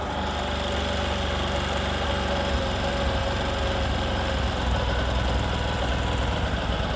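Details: Discover motorcycle in a clip on mileage and engine sound problems: a low, even single-cylinder idle with a steady beat and no rattles or knocking; it idles cleanly.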